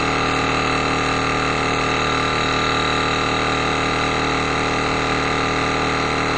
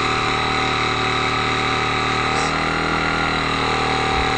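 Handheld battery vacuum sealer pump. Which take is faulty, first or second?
second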